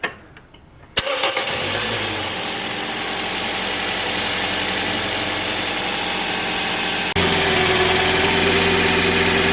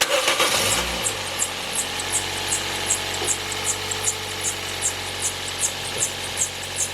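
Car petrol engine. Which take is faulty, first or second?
second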